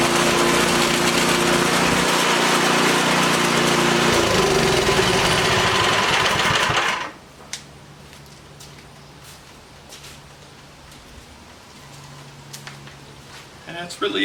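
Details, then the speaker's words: Troy-Bilt Storm 2410 snow blower after auger removal with new bushings and spacers, skid plates raised slightly, electric starter fitted: small engine holds a fast, even buzz for several seconds then shuts off cleanly; running healthy. "I'll start it up. It's going to be noisy. I'll show you the blades, everything working on there."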